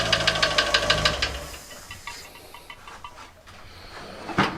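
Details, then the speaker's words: Fiat 500 idling after cambelt and sump change: hard, regular knocking, about three a second, new since the work, fading as revs drop. Owner suspected the sump baffle plate catching the crank, but no witness marks found; cause unconfirmed. "now then we have a massive problem the engine has been running and it's absolutely knocking its nuts off didn't do this before it's only done it now"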